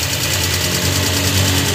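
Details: Suzuki Multicab F6A 12-valve engine, after the blocked carburetor fuel return line was cleared to fix hard starting, idles steadily and evenly with a constant rumble and no misses or knocks.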